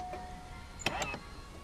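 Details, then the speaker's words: 1997 C5 Corvette, before installing a column lock simulator/bypass: short electric buzz then sharp mechanical clicks as the lock motor opens the steering column lock on key-on; normal operation. "So when I put the key in and I turn it on, you can hear the column lock open up, so I can turn the wheel."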